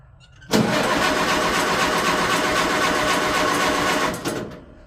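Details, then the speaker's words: Tractor sitting over a year, choked, out of gear: starter cranks at an even pace about 3.5 seconds without catching; tank found empty, out of gas. "unchoke a little more throttle oh don't maybe it's out gas that could be probably should have checked that yeah let's check the gas situation here"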